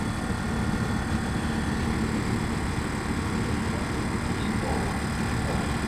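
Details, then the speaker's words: 1999 Lincoln Navigator with a newly installed, initially deflated rear air spring: a constant electric hum and buzz as the air-suspension compressor cycles and fills it, with no stalling or clatter. Compressor working; the sides level out. "[Music] as you can hear it's cycling feeling up the air system another bag had air in it but this one being deflated being that it was a new bag here you go it's sto it's up now"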